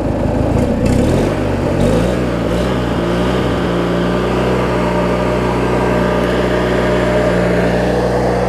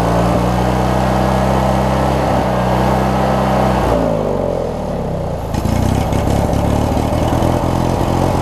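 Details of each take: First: Craftsman riding mower, 19.5hp Briggs opposed twin, after governor, idle speed and carb cleaning (water, corrosion), hood on: brief blip then smooth, even low-rpm idle with steady low drone, no stumbling; running normally, possibly a touch fast. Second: Craftsman 42-inch riding mower with 19.5hp Briggs opposed-twin engine, after governor and governor-spring setting, tested outdoors: steady twin drone dips briefly then climbs and holds a touch fast; governed speed set slightly high, to be backed out.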